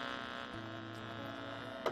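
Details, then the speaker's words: Steady low electrical hum with buzzy overtones after the Insignia TV is plugged into the 3.5 mm splitter feeding an Insignia sound bar alongside a SXM radio. The exact source is unconfirmed; splitters are blamed, and a direct connection or Bluetooth is recommended. "but once you take this plug here and then plug the one that's going to the TV it's still real bad here that kind of down but"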